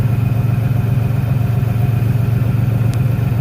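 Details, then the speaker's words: 1996 Ford Ranger 3.0 L V6 lacking power: a steady low idle with a rhythmic shake and a heavy lopsided pulse of about four a second, vibrating at the exhaust; dead cylinder, an extra unconnected wire suspected. "bueno ahí se nota la vibración del motor note que tiene un cable extra me hace pensar que por este lado puede estar el problema"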